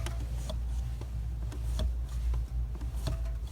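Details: VW Up TSI, clutch already replaced once with an original part, being pressed: light sharp ticks over a low engine hum, the pedal operating quietly with no creaking.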